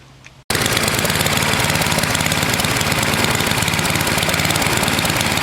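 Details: NOMA 8hp snowblower, single-cylinder, cleaned carb: runs fast with slightly ragged, irregular beat; owner suspects valves slightly sticky from sitting in rain, hoping it improves as it warms.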